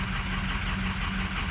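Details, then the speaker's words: Truck with 6.0 diesel at 8,000 miles, starts poorly, cold start at 68 degrees: uneven lumpy idle with irregular low thumps; one whole bank of injectors failed, low coolant raises suspicion of failed EGR cooler. "it's just the whole Bank is shot"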